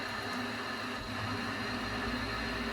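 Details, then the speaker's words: Worcester Bosch 30i ErP combi boiler that showed EA 229 ignition lockout with a washing-machine noise from a blocked condensate backing water into the heat exchanger and burner; after clearing it, the fan and burner run evenly with no bubbling, normal running. "better straight away it doesn't sound like a washing machine anymore"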